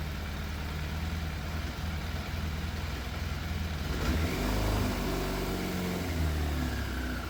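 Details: Yamaha FZ750 four-cylinder motorcycle, 41,000 miles, fire-damaged, choke fully off: uneven lumpy idle, faint stumble every so often and small rev blip; missing slightly, middle two exhausts cooler than outer two. Idle hard to balance; cause unconfirmed.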